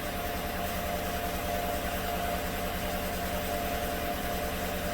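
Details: 2016 GM truck 5.3L after replacing bank 2 lifters and AFM delete, fresh plugs: slightly lumpy idle with uneven low pulse, still counting misfires on cylinder 6; number 6 exhaust lifter collapsed again; injector also suspected.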